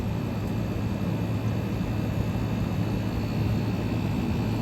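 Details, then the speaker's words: 1977 GE Superthrust air conditioner on high cool, warming up as head pressure builds, suction line sweating: low, even hum with a smooth steady fan rush, no rattles, squeals or clicks; quiet, healthy normal running. "like I said this thing is absolutely silent it's warming up as the head pressure builds"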